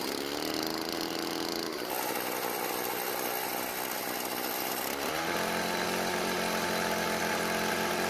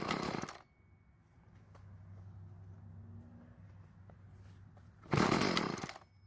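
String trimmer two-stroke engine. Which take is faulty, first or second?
second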